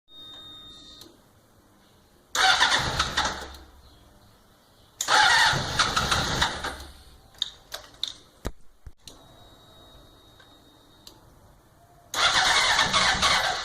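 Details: 2004 Honda CBR600RR: repeated bursts of fast starter cranking, each a couple of seconds long, with no catch or firing. Cranks but won't start.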